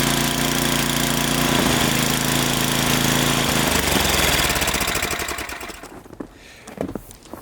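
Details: Snowblower small engine that was surging at idle; owner hopes the air intake just needs cleaning; heard holding a steady, even beat for several seconds with no hunting or surging, then winding down.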